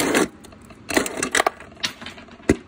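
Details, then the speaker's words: Kenmore refrigerator ice maker dispenser, lever pushed repeatedly: several sharp clean snaps as the flap closes flush into its seal; normal closing, whereas a flap that stays stuck open lets ice melt and jam the ice crusher. "that's what you want to hear you want to hear that flap closing in touching that you know flush it into the the seal right in here"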